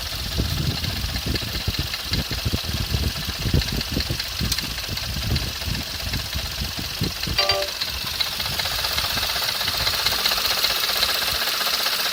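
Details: Skoda Fabia RS engine idling with uneven tapping, roughly two to three knocks a second, over a hissy idle; a knock from the engine or accessory drive, source not yet known.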